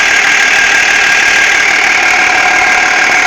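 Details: BMW E46 330d diesel idling: hissy, gritty rattle riding high over the engine note from behind the power steering pump; cause unknown.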